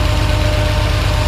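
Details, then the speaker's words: 1982 Ferrari 400i V12 with CIS injection and automatic, warm from previous running with the fans already on: smooth, even idle with a fast regular low pulse and no extra ticks, rattles or noises; normal idle. "no noises or anything like that extra sounds pretty"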